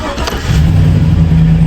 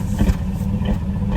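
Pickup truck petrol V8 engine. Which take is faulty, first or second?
second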